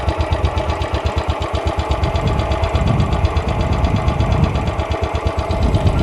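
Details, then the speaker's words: Royal Enfield Bullet being inspected as a used bike, at idle: a slow, even single-cylinder thump with no bottom-end knock and no valve tick. A normal engine sound to record for comparison. "बाकी हा जो इंजिनचा sound आहे तो एकदम normal आहे तर तो तुम्ही रेकॉर्ड करून ठेवा जेणेकरून तुम्हाला कम्पेअर करता येईल"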